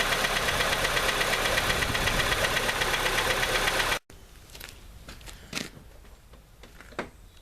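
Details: Honda CR-V petrol engine with sudden knock, valve clearances adjusted without change; rough even knock about 2.5 per second then cuts out; cold compression 120, 90, 80, 40, source unconfirmed.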